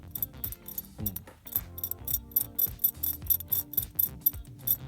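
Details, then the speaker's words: Ford 640 tractor, split for clutch and rear main seal repair, clutch disc worn to the rivets: rough, uneven ratcheting clatter as the release bearing is turned; worn clutch release bearing, needs replacing. "that bearing is gone can you hear that and then probably that bearing needs to be replaced"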